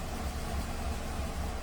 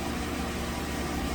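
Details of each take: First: 2015 Nissan Rogue 2.5 inline-four idling after several minutes of running, intake cam timing reading 38 degrees: uneven idle with irregular thumps and stumbles, codes P0011 and P0300. Rough idle apparently caused by a stuck intake cam timing solenoid. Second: 2015 Nissan Rogue 2.5 inline-four after replacing the stuck intake cam timing solenoid, intake timing now reading 9 degrees instead of about 38: smooth, even idle with a low steady rumble and no misses. Normal idle after the repair.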